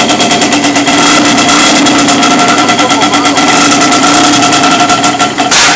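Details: Yamaha Banshee twin two-stroke after fixing backfiring, no-start and one-cylinder firing: loud, crisp high-rev buzz with fast even pulses, no popping or missing; both cylinders now firing cleanly.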